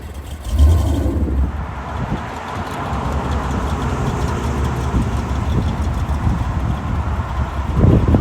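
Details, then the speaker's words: 1935 Ford 5-window coupe street rod with a 350 Chevy V8, Edelbrock Performer RPM heads and Turbo 350 automatic, driving slowly past. Deep, even burble swells and fades, a smooth healthy exhaust rumble. "Hear that thing? It sure rumbles nice."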